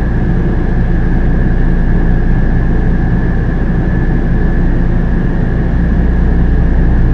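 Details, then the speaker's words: Coleman Mach RV roof AC with newly installed Micro-Air EasyStart, heard in back bedroom: fan motor on, steady whir with mid-high tone over low rumble, no scraping; 30-amp RV drawing 14 to 16 amps, normal fan run. "all right so that's the fan motor kicking on so now we're at with the new with the fan motor on the back bedroom so 14 to 16 amps"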